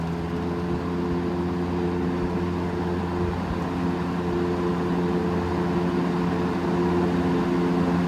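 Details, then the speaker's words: Vintage GE F12 W22 fan (corner-badge model, c.1966–67, 3 amp), after service, on high: strong steady hum and heavy rush of air with a faint rhythmic wobble; runs normally, blade only slightly out of balance. "Some serious air moving with this thing. And this one isn't even in too bad a balance."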